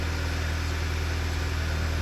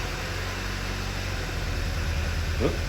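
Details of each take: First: 2009 Volkswagen Eos 2.0T after replacing a faulty ignition coil for a flashing check engine light and misfire: low, smooth, even idle hum with no stumbles or skips while watching the misfire counter; repair successful. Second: 2009 Volkswagen Eos 2.0T, 144,000 miles, flashing check engine light: uneven idle with low chuffs stumbling irregularly; cylinder 3 misfire counter rising, suspected faulty ignition coil, possibly worn plugs.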